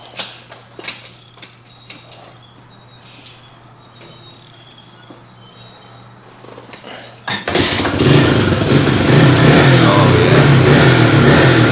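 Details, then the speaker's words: Suzuki DR100 dirt bike just after carburetor rebuild: quiet about seven seconds, then the single catches at once and settles into a steady, even run; healthy start and idle. "Look at that. Purring like a kitten."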